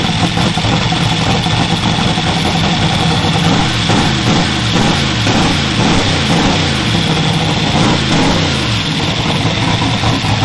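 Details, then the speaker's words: Twin GT45 turbo 468 big-block with AFR 305 heads, 4500 Dominator throttle body and Holley EFI, first start after rebuild: loud, lumpy idle, smoking, tune not right, AFR lower than wanted; oil pressure about 58 psi, fuel pressure 49 psi. "And it smokes a little bit because I don't have my tuning right."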